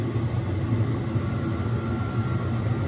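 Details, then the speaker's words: Diesel heater with a nearly full diesel tank, running after start-up: a steady, even low drone with a faint constant whistle and no surging or knocking; loud but running fine, no exhaust smoke seen. "yeah as you can hear she's not quiet but I don't give a [ __ ] it even come with nearly full tank of diesel as well you"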